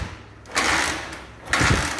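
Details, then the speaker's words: Motorcycle kick-started with ignition on but anti-theft switch cutting coil wire and battery unplugged: two heavy kick strokes churn without firing, no start. "Não pega de forma alguma, mesmo que a ignição esteja aberta, galera."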